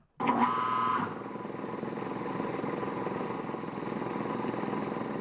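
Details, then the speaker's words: Quincy air compressor pump, belt-driven, remounted on a tank and run from an electric motor: brief whirr then quiet even rapid chug, no knock or squeal; runs normally, though slow, about six minutes to reach 125 psi. "seems to run fine it's quiet"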